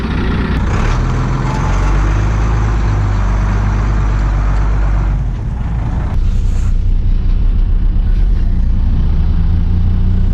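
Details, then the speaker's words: Engine running with no fan after sudden belt squeal and stall, suspected frozen accessory: steady, even low rumble with no squeal or chirp; running smoothly and cool while driving. "right I said I was uh going to go home and fix this but you know what the thing's running perfectly cool without that fan"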